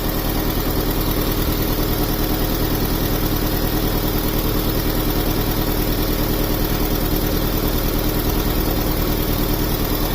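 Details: 2003 Honda Civic 1.7L with a loss-of-power complaint, after a clogged catalytic converter was replaced, exhaust pressure now reading zero: steady, even idle with a smooth regular pulse, no rattles or puffing; normal idle.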